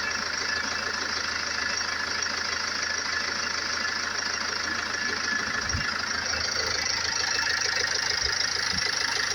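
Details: Range Rover Evoque 2.2 diesel, 78,704 on the clock, idling: steady even clatter with no knock or miss; engine running sweetly.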